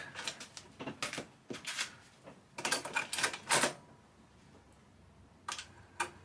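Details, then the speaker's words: Amiga 1000 floppy drive under repair, reading the Workbench disk and booting AmigaDOS 1.3; quick bursts of dry clicking and chatter as the head steps, with quiet pauses between; the drive works normally but is quite loud. "It seems the disk drive works as well which is awesome Kind of expected this not to work but there we go, AmigaDOS version 1.3 It's quite loud though"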